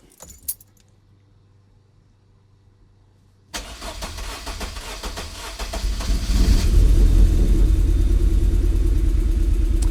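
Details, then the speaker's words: MG engine after compression test reassembly: lumpy, uneven idle with a stumbling beat, misfire because coil packs weren't pressed fully home; swapping/reseating the coil packs fixed it and it now runs fine. "all i did was swap the cord packs over and it's running fine so when i put the coil packs back originally i probably didn't press them down hard enough but it's running fine now"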